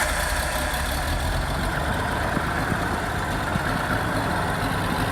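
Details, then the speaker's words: R31 Nissan Skyline wagon with newly fitted turbo and tack-welded exhaust, first start; rough idle with loud raspy hiss and puffing chuff over the engine note; bad exhaust leak, felt coming from down low. "Well, that's kind of a good sign. Sounds like it's got a mean exhaust leak. Idling alright. Man, that's a bad exhaust leak."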